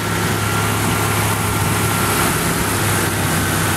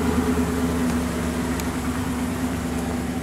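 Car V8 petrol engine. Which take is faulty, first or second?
first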